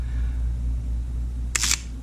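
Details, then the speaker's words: Sony A7 with no lens fitted: single rough, rasping shutter snap, harsher than a clean click, over room hum; sand throughout the shutter mechanism, confirmed as cause of the shutter button problem. "Oh, you hear that? Oh my god, that's the worst sound in the shutter. There's sand all over in this in the shutter."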